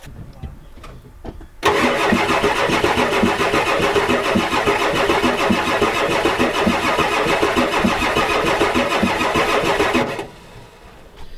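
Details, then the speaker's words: 1993 Ford F-250 7.3L IDI diesel cranks steadily at about 3.5 turns per second for eight seconds without catching, even with ether. Owner concludes some cylinders have no compression, so it will not start. "so I come to a conclusion that this thing has no compression and some cylinders so no compression equals no running"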